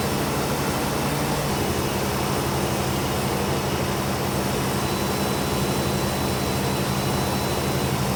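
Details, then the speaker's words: 1992 GMC C2500 truck with 4L80E transmission, just after transmission service: steady, fast, even drone with no dip or hunting right after startup; known high idle on startup, cause owner thinks found but unconfirmed. "when this truck starts up it rubs real high and I'm going to get into that in my next video on this thing"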